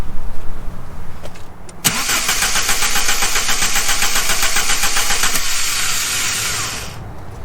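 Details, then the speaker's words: VW Mk3 with 2.0L ABA engine, abandoned non-runner, after distributor cap cleaning: starter spins engine steadily about five seconds, never fires; crank no start, owner suspects ignition coil not sending spark. "I'm not seeing anything to you so I don't know I know I think this thing is maybe not sending spark out of the coil and I think our previous owner found the same thing"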